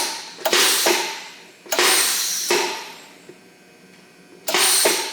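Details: ARCCAPTAIN 200P AC/DC TIG welder, DC TIG at 60 amps, supplied regulator and gas line, gas bottle on, foot pedal pressed four times: sharp hissing bursts each fading over about a second; gas valve opens and shielding gas reaches the torch.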